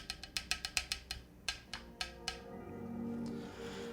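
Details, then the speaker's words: Spectacle60 keyboard kit with PC plate, GMK Future Funk keycaps and pre-lubed Kaisya switches; quick uneven clacks with thin hollow ticking as switches impact the case bottom and go stiff; switch ticking, cause unclear. "hmm what is causing that that is weird do you guys hear the ticking okay it is so if you guys can kind of see it's literally impacting the bottom of the case and becomes very stiff"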